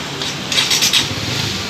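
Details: Honda CBR 150 R after fitting a Vinix remote alarm; quick crank, catches at once and settles into a steady idle: normal engine start.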